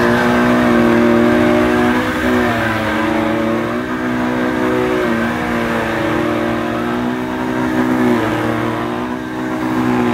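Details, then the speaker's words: Electrolux 502 Super vacuum running, compared with a damaged Electrolux 502: steady high motor whine with slight pitch waver and no grinding or rattle; it sounds a lot better. "now this one sounds a lot better"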